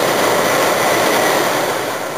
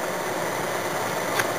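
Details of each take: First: Toyota Yaris (USDM) with JDM automatic climate control conversion, blower at max speed with the blower stack not installed: loud steady rushing whoosh easing slightly at the end; the noise is loud because the housing is missing. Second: Toyota Yaris (USDM) with JDM automatic climate control conversion, blower stack not yet installed: soft, steady airy whoosh with no ticking, rubbing or wavering; blower motor running smoothly on lowest speed.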